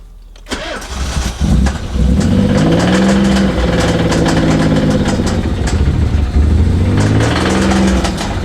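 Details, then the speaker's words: Nissan 300ZX Z32 5-speed, TT-style car with non-turbo DE engine, sat for years over suspected rod knock: cold start then idle with irregular knock coming and going; seems from head or bellhousing, not rod knock, unconfirmed. "The inconsistency of the sound and the type of sound and just the whole thing about it makes me believe that it's something other than rod knock."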